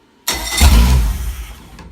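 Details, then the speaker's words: Brand-new Mercury Pro XS 115 outboard, after plugging in the neutral safety switch: sudden starter whir and brief catch dying within about a second; it cranked and fired briefly, with no water supply. "Holy shit, about 2 seconds ago I clicked the starter and it turned over for half a second."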